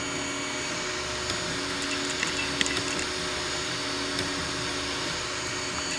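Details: Anycubic i3 Mega printing PLA: steady stepper whine and fan hiss with a few sharp irregular extruder clicks as filament skips; suspected causes slicer settings, unlevel heat bed, old PLA, or faulty extruder, not confirmed.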